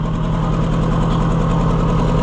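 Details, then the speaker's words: Oliver 550 tractor just started after flooding, choke fully out: a low, lumpy idle with an uneven, skipping beat; one cylinder is missing. "It's got a miss in it. Yeah, it's got a problem."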